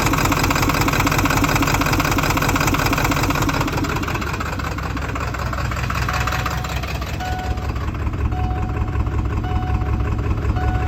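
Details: Ford OBS 7.3 diesel with an uneven, lumpy idle, loping pulse near two per second and occasional stumbles, came on stopped at a light; owner suspects IPR, unplugging IPS changes nothing, IPS reads about 3k cranking; cause unconfirmed.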